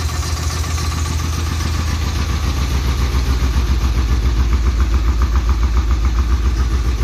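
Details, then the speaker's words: Plymouth Cuda V8 after sitting 10–15 years, fuel drained then a little added, rough spot on rotation: heavy lumpy uneven idle thumping about three and a half per second; rough-running engine, cause not confirmed. "all right key on fuel pumps [Music] on doesn't sound good but it [Music] started oh yeah she's [Music] gone"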